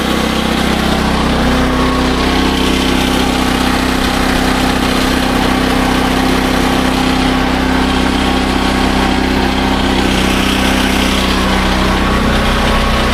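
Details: SDMO 5000W generator with a Briggs & Stratton engine (about 18 hp), after restoration, load test with about a 1500 W heater and a light: steady, even drone holding speed, no surging, hunting or knocking; normal under load.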